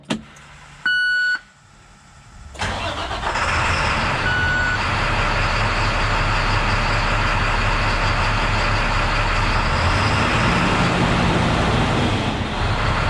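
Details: International WorkStar diesel after restart: cranks a second, catches cleanly and settles into a steady, even idle with no stumble. It had earlier idled at about 500 rpm and would not rev, which the owner blamed on a stuck exhaust brake flapper. Now it runs right.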